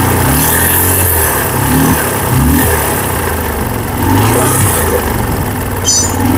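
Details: Apache RTR 150 single-cylinder bike, engine serviced three times in two months without fixing the noise: rough, uneven mechanical rumble over the exhaust note from worn engine bearings.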